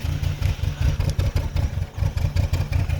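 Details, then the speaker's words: VW that is hard to start and stalls without throttle: lumpy idle surging and sagging about every half second, like running out of fuel, still rough revved to 1,000 rpm; misfire-type rough running, cause unknown. "it has a really bad idle. It makes that sound like when you're running out of gas, but if you rev it up to 1,000 RPMs and even listen."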